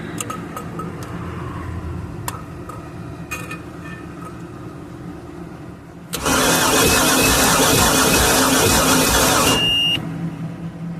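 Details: Boat's center-bolt Chevy 350, sat unknown time, plugs out during compression test; steady even starter cranking with no stumbles, gauge showing about 180–200 psi, good compression.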